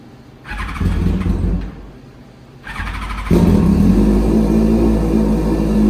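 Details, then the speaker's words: Smart sleeper project's carburetted engine, first start after the carbs were cleaned, rebuilt and fitted with new jets: blips twice, then holds a steady, even run with a smooth lower note and no stumbling. Normal idle. "to me it sounds like a has a bit of a lower tone I'm not sure about just me or not same here it sounds almost like a little bit of a moment you can actually hear it firing back and forth"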